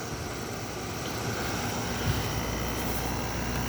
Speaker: it's very quiet